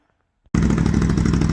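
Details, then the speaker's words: Can-Am 850 quad with aftermarket exhaust and air filter, before Power Commander dyno tune: starts instantly into a loud, deep, even lumpy V-twin beat with bark that isn't irritating; runs clean and healthy. "If you can hear it over that nice sounding exhaust, sounds pretty good. No, that one's great. I like that because it gives it enough bark, but it's not it's not irritating."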